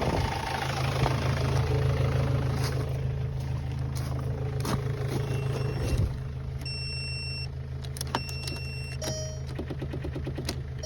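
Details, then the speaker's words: VW Beetle, 115,000 miles, weak battery and loose spinning ground terminal: laboured starter about three beats a second for six seconds, quits without firing; slow cranking from low battery. "Dang, this thing is low. There's not enough amps. I might have to throw that battery on a charger and try another one."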